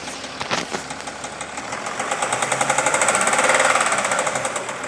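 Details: Jaguar XF S 3.0 V6 diesel 275 running with a rapid, fairly regular ticking knock, about four per second, that builds then eases; source not pinned down and cause suspected, not confirmed: engine knocking noise.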